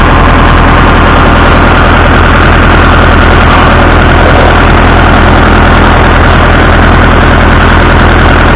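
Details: Massey Ferguson 165 tractor idling with good oil pressure; a dull low knock repeats about two and a half times a second, and the owner suspects a connecting rod knocking, unconfirmed.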